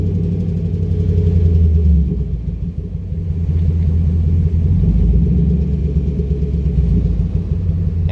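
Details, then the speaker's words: Chevy Camaro with Service StabiliTrak on, codes P0174, P0202, P0302: a lumpy, rough idle with an irregular machine-gun-like stumble and a slight knock, a cylinder 2 misfire from an open injector circuit, bank 2 lean. "if you notice it's not a consistent uh you know it doesn't gradually go up it actually kind of like you know it kind of goes like a like a bit of a what's that word like a machine gun kind of thing it doesn't it doesn't really sound normal you know"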